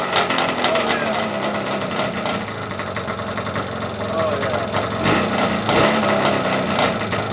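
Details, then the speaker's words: Yamaha Banshee 350 two-stroke with ported cylinders, first start after rebuild with new clutch, water pump, seals and head domes: raspy high buzz idles evenly and picks up cleanly on throttle, no misfire; normal running. "oh yeah boys you saw that that's what i like to see right there oh yeah she sounds good this is the first time this bike has been running"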